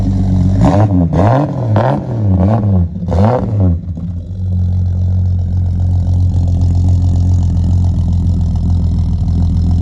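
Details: Ford XC Falcon wagon six, mechanically rebuilt with new hoses, belts, gaskets, starter and alternator, burns a little oil: several quick revs rising and falling, settling to deep even idle, no knocks: healthy.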